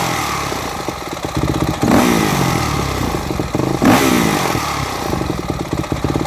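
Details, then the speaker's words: Four-stroke motocross bike (e.g. YZ250F/YZ450F) with Keihin FCR-MX carburetor, pilot fuel screw leaned down too far: uneven, stumbling idle with excessive exhaust popping, nearly stalling. Lean low-speed circuit from the pilot jet/fuel screw setting. "all right did you notice when it was leaned down too far the bike was trying to die off as well as it was trying to stall quite easily in addition to the excessive popping coming out of the pipe that's a sign of a lean lower circuit right there on your pilot jet or your fuel screw"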